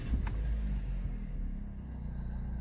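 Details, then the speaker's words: 2007 Chrysler PT Cruiser, non-turbo 2.4 L, manual, just after oil refill topped with Marvel Mystery Oil following Liqui Moly engine flush: steady low, even idle rumble, no knocks, misses or squeals; healthy normal idle. "oh yeah she sounds good oh yeah"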